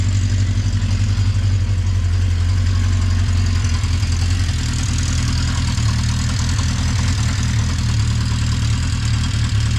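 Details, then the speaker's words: 1980 Honda CB650C four-cylinder with correct OEM exhaust, cold start after a couple months unused, on full choke: deep, even, steady idle with no misses, knocks or rattles; runs smoothly and healthy. "sounds good it's awesome I've been wanting to do that for a while"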